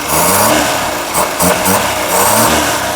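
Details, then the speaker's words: Ceria carburetor after adjustment, no vacuum leak: engine picks up cleanly through low, mid and high revs, small throttle also smooth, no stumble; smooth revving. "Jadinya digas urut enak, tidak ada gregelnya dari putaran bawah, putaran tengah, putaran tinggi. Digas kecil juga enak."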